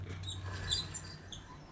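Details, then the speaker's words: 1972 Honda SL100 rear wheel squeaking: short high chirps about every half second over a low rumble; owner plans to remove the back tire to check the brakes, as something inside is not quite right. "I'm going to be taking off the back tire and checking out the brakes in it, because you can hear something's a little squeaky."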